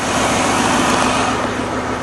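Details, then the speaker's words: 1997 Lincoln Continental engine idling after repairing a burnt spark plug wire with tape: the puffy thumping is gone, leaving a steady, even idle with all cylinders firing cleanly. "so let's try her out oh that sounds better already no more little puffy sound"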